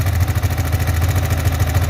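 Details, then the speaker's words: Yamaha Vixion NVL single-cylinder idling with a fast, even, dry ticking from the cylinder head; the oil level is fine but no oil reaches the head, so the top end runs dry; the cause is being traced, possibly a blocked oil passage, clogged oil filter or faulty oil pump. "bagian head ini kering tidak terlumasi oli jadi suaranya berisik dari sini ya"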